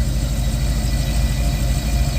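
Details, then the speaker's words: Chevrolet Caprice with new ACES fuel injection, fuel pump and fuel system, parameters adjusted, after about 30 minutes running: deep, even idle with no ticking, whine or stumble; earlier unexplained noise has not returned. "We've been running for about 30 minutes, and guess what's not happening? That noise. That noise."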